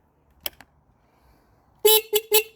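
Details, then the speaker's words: 2019 Hawk 250cc motorcycle horn, which had quit because it was unplugged, now plugged back in: three sharp, clear horn blasts at a steady mid pitch. Normal horn operation. "so that was simple enough our our horn quit working because it was unplugged plug that back"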